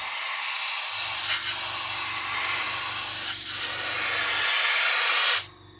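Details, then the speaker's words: Gaahleri GHAC-Swallowtail trigger airbrush with 0.7 needle spraying unthinned VMS clear gloss: steady even hiss of air and paint with a low hum underneath, cutting off cleanly at release; sprays smoothly. "this will from now on this will be my clear coat airbrush of choice um that is absolutely wonderful"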